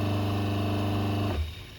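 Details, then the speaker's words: Twin-tub washing machine whose wash tub wouldn't run and spin tub turned slowly, testing the wash motor: steady low even hum, no grinding or rattles, then clean switch-off; wash motor runs healthy. "เราทดสอบมอเตอร์กันนะครับว่าใช้ได้ไหม"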